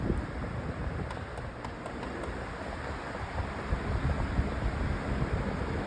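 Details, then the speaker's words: Lasko 20-inch Elite Collection Cyclone four-speed floor fan stepping from speed three to four: steady even whoosh of air, fairly loud, well balanced with no vibration, knock or rattle. "Already kind of loud already. That's what you'd expect usually. And here's four. It's actually pretty well balanced. I don't feel any vibration."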